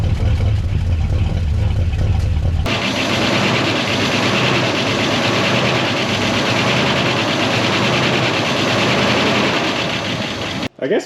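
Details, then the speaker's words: 1969 Buick Wildcat V8, barn-stored 26 years since 1998, at idle after revival: a loose, uneven sheet-metal tapping over the rumble, which is the fender rattling and mimicking knock rather than true engine knock. "but this thing is alive and it is a runner and it sounds pretty darn good that Fender going to make this thing sound like it's knocking"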